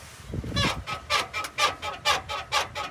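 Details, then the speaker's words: Lowered 2004 Chevrolet Astro, rear bounced by hand: a sharp squeak about twice a second matches the motion, mostly on the driver's side and also the passenger side when bounced harder. Suspected worn upper leaf spring shackle bushing. "oh it's definitely way more to the driver's side okay bounce it harder okay when you bounce it harder then the passenger side start singing too okay so you think it's the upper shackle bushing I think so"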